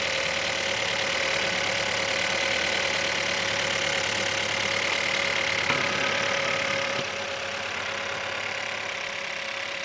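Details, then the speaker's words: 2017 Holden Astra, 1.6 petrol turbo B16, first start after replacing cylinder 1's cracked piston (low compression, P0301): steady, even idle with a quick beat, no knocks, misses or horrible noises; normal idle. "Okay, well it's alive, so that's a good thing. There's no horrible noises."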